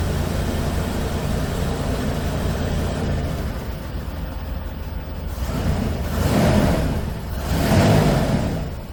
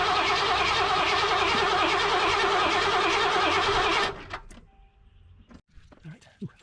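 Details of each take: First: 1988 Mercury Cougar Foxbody V8, after earlier ignition repair and gas tank cleaning, running on its own fuel system: steady idle, then picks up cleanly on two throttle blips with no misfire or knock; running fine. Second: 1988 Mercury Cougar (Foxbody) after gas-tank cleaning, with 5 gallons of 91 plus cleaner: the starter cranks quickly and evenly for about four seconds with no firing. Fuel pressure is 40 psi, there is spark and no codes, and it starts on starting fluid; owner suspects the fuel injectors.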